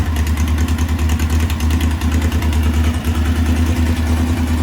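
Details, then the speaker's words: 1641cc air-cooled VW engine with counterbalance, electronic pickup, no MSD, on Weber IDF 40 carburetors: lumpy, uneven hunting idle; carbs still untuned, owner thinks they're running short of fuel and need bigger jets. Rough idle from untuned carburetors. "uh still needs to get tuned but at least the idle's working but they need [Music] we gotta tune it up i think they're running out of running out of fuel so it sounds okay it sounds good uh i think they need a little more gas on the jets"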